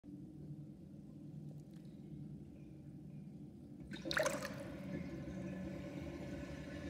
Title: New sinkdrain with my new sinkplug 45.5 mm & round plastic ring and whirlpool & loud gurgling sound